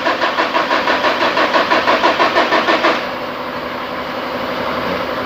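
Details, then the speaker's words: 2013 Chevrolet Colorado Z71 2.5 diesel, 5-speed, cranking: starter spins the engine in an even rhythm of about three beats a second but it never fires; crank no-start with no stored PCM codes. "อาการของคันนี้มาคือสตาร์ทไม่ติดนะครับสตาร์ทไม่ติดอ่าอันนี้ลูกค้านะล่างรถมาเลยครับถึงอู่เลยนะ"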